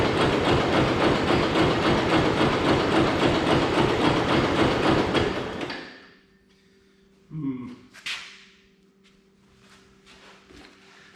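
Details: Hesston 140 Front Runner garden tractor, sat idle for about 16–17 years, after a new carburetor bowl gasket, with choke and some throttle; even starter churn about four beats a second for six seconds, fires once but won't keep running.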